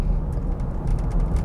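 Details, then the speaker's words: P2 Volvo XC90 2.5T with 200,000 miles, driving on a smooth road with no bumps: low road rumble with short, dry creaks from the dashboard in irregular bursts. The dash trim is creaking, exact source not pinned down. "i really wonder if you could hear how the dash is just creaking"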